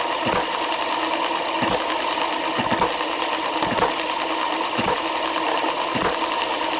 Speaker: well that's it running at about uh 45 48 49 hits per minute